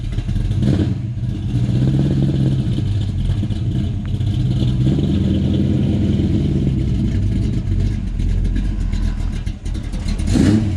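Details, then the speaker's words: Carbureted 302 V8 in a 1984 GT350 Mustang, still cold, just after installing a catch can and rerouting the PCV: deep, steady burble with even firing and no knocks or misses. It started right away and idles healthily. "It's running nicely. Sounds good, sounds healthy, and it looks good."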